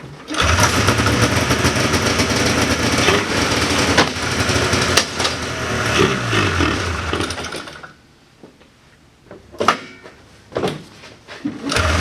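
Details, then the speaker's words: 1979 John Deere Cyclone 340 two-stroke snowmobile, probably bad fuel in carb, choke on at end: ragged, surging run that stumbles, stalls, coughs in bursts; fuel pump works but pulls little, owner suspects insufficient fuel or gummed carb idle circuit. "well she was definitely running on more than starting fluid that time I was pulling fuel from the tank though it didn't look like I was pulling a lot so the fuel pump is definitely working"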